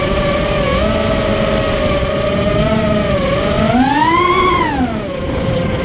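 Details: Immersion Vortex 250 Pro motor test run after trying to fix bad bearing sounds: a clean whine rises and falls with throttle, with no grinding or rattle, so the bearings sound smooth now. One motor is barely warm and the rest feel good.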